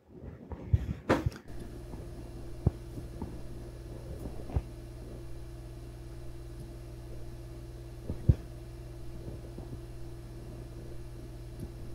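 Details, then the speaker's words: ARAID 3500 backup drive after a $9 replacement fan upgrade, recorded on a Zoom H4n at the same spot: after switch clicks, quiet steady low hum with a faint even tone, no rattle or buzz; fan running normally. "and fire up what a difference oh my goodness I have to actually make sure that this is working and it is sure enough she's blowing air"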